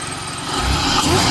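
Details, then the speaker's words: 2004 Chevrolet Impala SS, supercharged, intake box cracked open: engine climbs from idle with a thin whine rising in pitch with revs; supercharger working normally, though oil was burning off the manifold. "Hell yeah. Seems like the supercharger is working."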